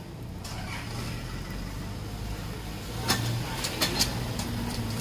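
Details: Toyota Avanza/Innova road test after replacing dry spider kit (propeller shaft cross joint) that clicked in first gear off throttle: only tyre and road hiss and light knocks, no squeaking; driveline fixed.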